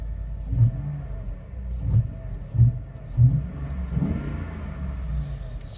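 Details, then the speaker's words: Truck with 6-speed automatic, cold start on a cold day: deep, steady low rumble with a few soft thumps as revs settle; sounds good, normal cold-start idle, nothing rough or knocking. "sounds good he sounds pretty good to me"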